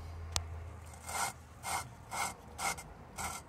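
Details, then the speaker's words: 1988 GMC Sierra 1500 cylinder head rebuild, valve lapping with drill, light pressure, slow up-down motion: rhythmic gritty rasping about two strokes a second; compound cutting valve and seat together, versus smooth sliding when paste is displaced. "So you lift it up, put it down, and then it grabs more of the grinding compound, and then it changes to this sound. See, that's grinding."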